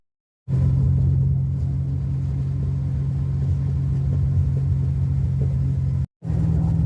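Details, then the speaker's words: 1982 Ford Mustang GT, rebuilt 310 cubic inch (302 bored 60 over), new straight-through mufflers with no tailpipes and an exhaust leak; on a test drive a deep, steady booming drone inside the car, heavy and tiring, tone barely changed. "I really thought these straightthrough mufflers would change the tone and the pitch a a little bit higher, a little bit less base and just make it a little bit more tolerable inside. Not so much."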